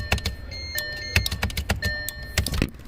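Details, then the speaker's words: 2012 Audi Q5 with random loss of power steering, parking brake and engine power: known-good test relay snaps on and off with clean clicks and no buzz, unlike the faulty buzzing relay. "that is 100 percent a bad relay by the buzzing listen that just a nice clean click"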